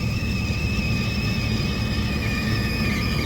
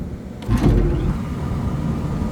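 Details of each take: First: Rooftop belt-driven exhaust fan, cover off: steady high-pitched squeal and chirping over the low fan rumble, worse as the pulleys warm; belt tension fine, worn pulley grooves with odd wear, new pulleys likely needed. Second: Belt-driven exhaust fan after everything was retightened: soft thump at startup, then a low steady hum with no squeal or chirp; quiet and fine for now, though the pulley is worn and notched.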